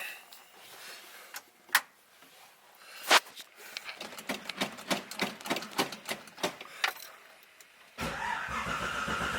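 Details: Carbureted Tempest with no choke, totally cold after sitting all winter since November: a few scattered clicks, then it fires at once and holds a steady idle. It runs lean, so it needs the accelerator pump until it smooths out.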